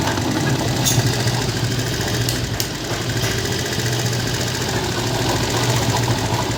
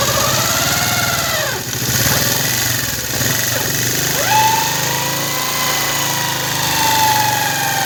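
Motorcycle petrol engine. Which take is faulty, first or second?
second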